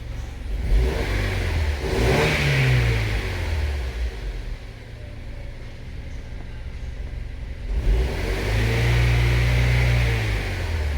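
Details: 2007 Honda CR-V 2.4L petrol (possibly 2012) in for power loss and hard starting, watched on wideband lambda. Two clean throttle blips rise and fall smoothly with no stumble or misfire. Later road testing showed lambda rich under load and no fuel-flow fault: normal revving.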